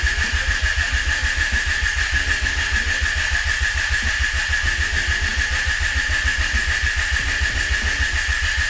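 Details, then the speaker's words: Honda Accord CB7 with swapped JDM F23A VTEC engine, no radiator fitted, brief start attempt: steady fast cranking with high starter whine, never catches; crank no start, not distributor or crank position, owner found no fuel delivery. "so i've been playing around with so much crap because i really started flipping out when this thing wouldn't start"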